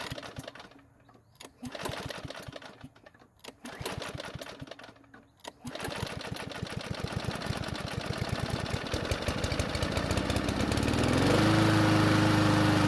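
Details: Ariens mower after long storage and carb work, hot restart with fuel added to carb: three rough pull-start bursts, starts on fourth pull, uneven hesitant run; hard starting when hot, old gasoline suspected, not confirmed.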